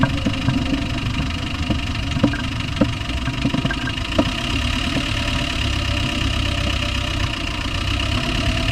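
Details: Land Rover Discovery 1 300Tdi diesel: irregular sharp knocks above the clatter at idle, loudest early in the run; source unknown.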